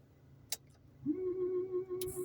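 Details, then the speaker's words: Car windscreen washer run by pulling the stalk toward the driver; thin, steady electric whine at one pitch, pump spinning with little fluid left in the reservoir. "Si je veux laver la vitre, je pousse la manette vers moi. On entend le petit bruit, il n'y a plus de liquide."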